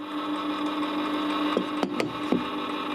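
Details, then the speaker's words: Warburton Franki WF 2 E timeswitch after cleaning, motor now unloaded and free to move: small motor's steady even hum with a few light handling clicks, running faster and freely, healthy; sounds slightly dry, may need greasing. "the motor sounds like it's going much faster so i think i was um putting a bit of stress in the motor"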